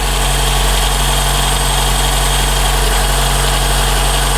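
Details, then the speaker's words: 2012 Toyota Camry 2AR-FE petrol engine idling warm, with a steady thin screech centred in the timing chain area that gets louder, from a worn upper timing chain guide. "a screeching sound. That's not normal for these. It does get a lot louder than this. This noise is centralized right here, right in the chain area."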